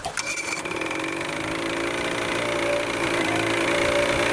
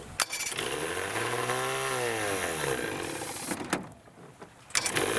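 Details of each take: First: Vintage Evinrude/Johnson 35hp outboard after draining bad gas and setting carburetor adjustment 1 1/4 turns out, cold start after over 24 hours: steady, even idle with fast light rattle, no stumbling or hunting; smooth stable idle. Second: Vintage Evinrude/Johnson 35 hp outboard with good spark but stale fuel, running on starter fluid sprayed in intake: catches, surges up and down for a few seconds, then dies; fuel contamination.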